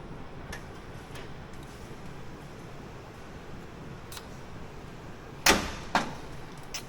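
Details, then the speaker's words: 1977 Ford Highboy truck, first start attempt after 460 Ford engine transplant, battery showing only 11 volts; two heavy single clunks with no cranking; starter binding on flywheel ring gear. "I'm just gonna run up for a few seconds as it starts uh oh nothing locked up is that battery hot"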